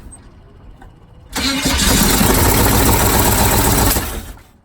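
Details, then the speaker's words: 1978 Chevy truck with an abused, half-installed 350 V8, sludged oil and low oil pressure: cranks, catches and runs a few seconds with a lumpy uneven beat and a knock before dying; rough running, ignition timing or firing order suspected. "think timing is an issue now yeah that could be helpful okay yeah it hasn't not it if that's not a knock I don't know what that is but it did not sound good"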